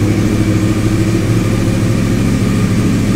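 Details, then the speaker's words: Wrecked 2014 Yamaha R1 crossplane motor after hitting a deer, 2,304 miles, with oil, fuel pump primed, in neutral: fires right up and settles into a steady, even idle with clean revs, no knocks or misses; normal idle and revving. "fired right up"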